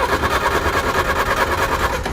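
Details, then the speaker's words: 1960 Honda Civic N600 with Willys 4x4 Jeep drivetrain, abandoned, first start attempt out of gear: starter churns the engine in an even, pulsing rhythm for two seconds, never fires; owner suspects ignition switch in wrong position. "turns over at least yeah i may got the ignition switch in the wrong position nothing"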